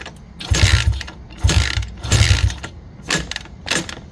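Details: 1985 Honda XR80R four-stroke, not run for a long time: a few uneven kick strokes thump and chuff without catching; owner suspects compression is too low; no start on kickstart.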